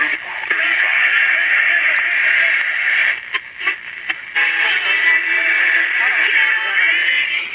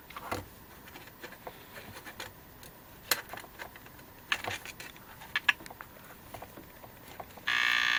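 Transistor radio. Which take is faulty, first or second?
second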